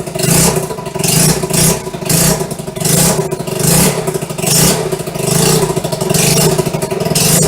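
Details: 1974 Honda XR75, first start after a two-year restoration, on non-ethanol high-octane fuel after a suspected fuel air block, choke off. Small single blips in rhythmic rises and falls; it runs cleanly but still wants tuning.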